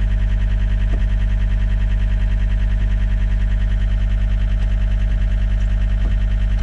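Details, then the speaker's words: John Deere tracked skid steer (believed 329D) at idle after releasing the park brake: rapid, regular beeping about three a second, the left joystick not-centered warning; code 920.05 EMU present, cause undiagnosed. "okay so it's saying left joystick not in Center so it's fussing about this joystick"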